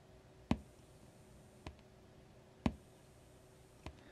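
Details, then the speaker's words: TDA7267 chip amp board with capacitor-coupled output: sharp click at power-up and softer thump at power-down over quiet hiss, not very loud; transient inherent to the circuit design, not much can be done. "makes a click when I power it up and kind of a thump when I power it down it's not really loud"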